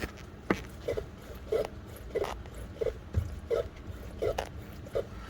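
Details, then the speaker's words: 2013 BMW X5 E70 with 105,000 miles, prying the front suspension with a bar: short irregular squishy knocks revealing a worn front strut as the source of front-end rattle; replaced with Bilsteins. "but oftentimes when struts are going bad as you do this you will hear that rattle that you've been previously unable to find and that is one way to determine if your strut is to source the rattle you're hearing or not"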